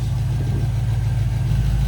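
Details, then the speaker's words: Pontiac GTO project car revived after sitting abandoned, first run at 870 rpm idle with 45 psi oil pressure and coolant still cold at 124: steady, even V8 rumble, lifter tapping quieting down as it warms up. "I thought it would have been way louder. I know, me too. It'll be loud. It'll be loud. All right, but What's your run? yeah, those lifters are quieting down."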